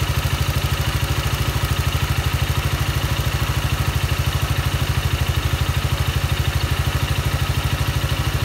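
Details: Yamaha Maxam (Magzam) scooter engine at idle: steady thump about three times a second with a dry clatter riding over it; abnormal engine noise, cause unclear.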